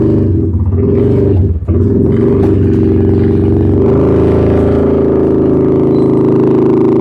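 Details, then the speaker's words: Fire-damaged CF Moto Z Force 800 UTV, now running and pulling away: a loud, raw, blatting exhaust note with a rough low drone. The muffler is missing. "I'm probably gonna have to put a muffler on this thing. It's pretty loud."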